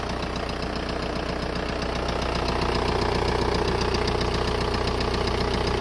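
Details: VW Golf 4 1.9 TDI diesel at idle: a strange, regular knock about two and a half per second over the diesel clatter. Engine knocking, source still unidentified.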